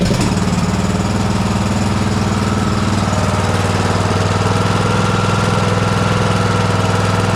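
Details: John Deere S100 riding mower after its annual service (oil and filter changed, parking brake set): small single-cylinder engine pops along at a steady even idle with no misses or knocks. Running fine after service.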